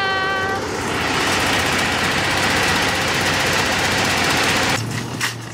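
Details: Generator on a 1986 Fleetwood Bounder motorhome, started through microwave diodes that drop voltage about 3–4 volts; steady, even roar with no misses or surging for several seconds; running smoothly again.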